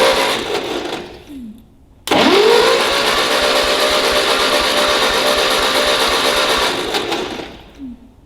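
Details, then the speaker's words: Ferguson TEA20 tractor, compression test during restoration: starter spins fast and evenly with no slowing on compression strokes; tester needle shows no deflection on these cylinders, only one cylinder, likely the firing one, has compression. "as for these, absolutely nothing. Not even a deflection on the needle. That's not very good, is it?"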